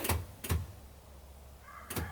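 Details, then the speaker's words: 1975 Jaguar XJ6 (stalling issue), electric fuel pump at ignition-on after priming, engine off: a few sharp unevenly spaced single clicks as the pump maintains fuel pressure, working normally. "And that is fuel pressure. The clicks you hear every one, that's just maintaining pressure."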